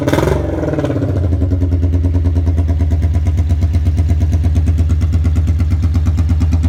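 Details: 1982 Honda Magna V45 VF750C after an oil change, choke zip-tied open: starts up and settles into a deep, hard-hitting even idle with raw, booming exhaust pulses, no muffler fitted, "loud as a banshee."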